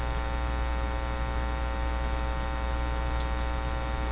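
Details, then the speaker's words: Philips PH202 vacuum tube console record player, phono cable connected and turned up: loud steady low mains hum with buzzy overtones and no signal; touching the cartridge produces nothing, so the phono cartridge is dead. "Lots of hum. Lots and lots of hum. Okay, I'm going to touch the cartridge. Nothing whatsoever."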